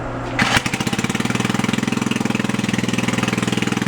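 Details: Antique Troy-Bilt rototiller bought at a yard sale, axles in neutral, started to test the tines: small single-cylinder engine fires in quick, even pulses at steady speed after a brief start-up burst; runs healthy.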